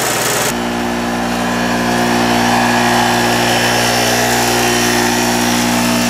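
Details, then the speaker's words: Harbor Freight mini generator, previously flooded from storage with fuel valve open, now running an electric heater as load until out of gas: constant even hum holding speed, no hunting or surging. "I got my little electric heater plugged in there thing will uh it will run that electricator"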